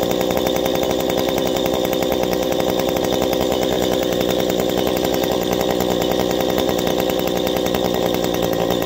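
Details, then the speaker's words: Two-stroke chainsaw held at full throttle after adjusting the carburetor's high-side screw by ear to the sweet spot: a steady, even, high-pitched scream with no sag or burble, showing a clean, well-tuned run. "okay now once you make your adjustment you hear that sweet spot i revved up we kept her up there"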